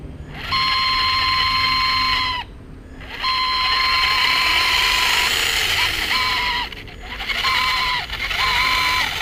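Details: Traxxas Slash 2WD 550 12-turn brushed motor running in four bursts: a piercing, steady high-pitched squeal riding over its hum, before the squeak fix.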